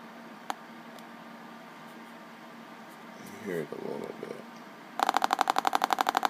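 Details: HP Compaq Presario F500 laptop: rapid sharp pops about four a second from speaker, triggered by pressing on an area; grounding fault, found to be a pinched, shorting speaker wire.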